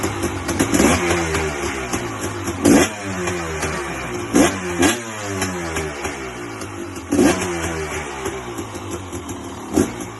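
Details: 2006 KTM XC-W, big-bore 300 two-stroke, first start after a full rebuild with no choke: sharp blips rise and fall crisply with the throttle, dropping back to a clean idle between pulls; runs healthy.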